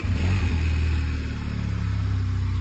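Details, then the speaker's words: Benelli motorcycle that stalled when the throttle was released, diagnosed as a faulty idle motor: after replacing the idle motor, the engine starts and settles into a steady, even idle with a stable idle speed display. "After replacing the idle motor, the idle speed display is very stable."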